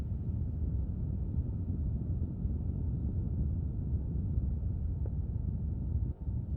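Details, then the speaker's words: Blower fan running with the ignition off in a parked car after sitting a half hour to 40 minutes. The AC light came on unprompted and a steady low airy rumble comes from the vents, with no engine running; recorded by a phone beside the driver's side vent. Cause unknown. "so if you guys can hear that that wind blowing that's coming from the vent"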